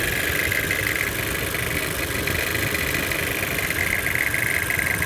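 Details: Toyota C-HR 1.2 turbo at idle: faint, uneven metallic rattle about three or four hits a second over the hum; cause unclear.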